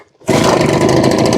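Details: Husqvarna 150BT backpack blower after replacing leaking fuel lines and tank grommet and repairing a broken kill-switch wire; bursts to life and holds a loud, steady, high two-stroke roar without stumbling; normal running.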